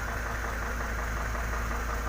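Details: Isuzu dump truck that wouldn't start because of a burnt wire problem: steady, even low diesel rumble at idle with no misses or knocks; runs normally.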